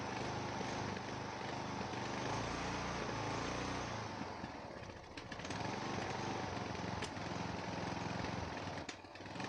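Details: Neglected Ariens 42" riding mower, 17.5 hp Briggs & Stratton, Nikki carburetor, with fresh fuel, new filter and good fuel flow: an uneven beat with speed sagging and surging, a rough hunting run. Owner suspects a carburetor issue, cause unknown.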